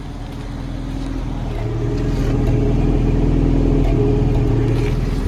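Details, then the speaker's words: 1982 Toyota Pickup 4x4 SR5 daily driver, 22R engine described as on its last leg, no catalytic converter: low, slightly uneven idle pulsing about three and a half beats a second with raw exhaust note; rough, worn engine idle. "current situation the motor is on its last leg and that's what's next"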